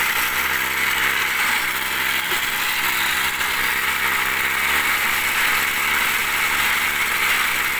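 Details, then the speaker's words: Small TU26 engine driving a homemade 3-inch axial/blower water pump, throttle not yet raised: gritty scraping rasp over the idle as dirt gets in and partly clogs the filter, debris grinding at the impeller. "Ada kotoran masuk, jadi agak tersumbat karena agak pakai filter ya. Coba, ada kotoran, suaranya tuh."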